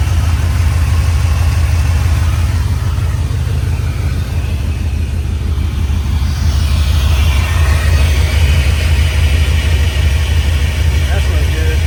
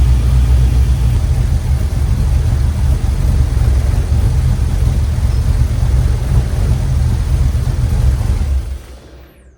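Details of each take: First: 1967 Chevy C10 LS-swapped, plugged injectors suspected, sensors recently replaced: heavy uneven loping idle about once a second; one bank's injectors left unplugged, so it runs on four of eight cylinders. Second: 1967 Chevrolet C10 LS-swapped V8 runs at idle after new fuel lines, with an even deep rumble and no misses or knocks before shutdown. No fuel leaks; the MAP sensor light stays on after O2 and MAP sensors were replaced. Normal running.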